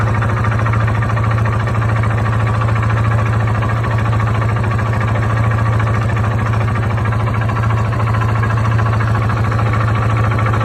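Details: 2002 Yamaha Warrior 350 ATV idling: steady low thump with a rhythmic knock underneath, about three beats a second; rides well, and the owner can't find the cause but thinks it comes from the lower end.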